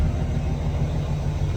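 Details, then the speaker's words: Dump truck with 40-year-old cracked air brake chamber hoses just replaced with new ones, idling while air tanks fill: steady low engine rumble, even beat, no hiss of leaking air; air brake system charging with no leaks. "We can hear the air tanks filling up,"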